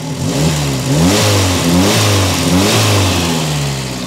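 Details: Peugeot 405 1.9L GRX4 carburettor engine before adjustment, about to be set with a Gunson Colortune; revs rise and sag unevenly with a wavering, hunting note, running badly as the carburettor is out of adjustment.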